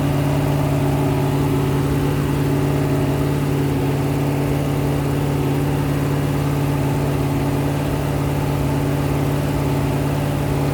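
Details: Rebuilt 426 Hemi crate V8 (new heads, intake, pistons) on a run stand during flat-tappet cam break-in, about 15 minutes in at roughly 210°, 50 psi oil pressure: steady, deep, even fast-idle drone, no ticking or knocking; running smoothly and healthy.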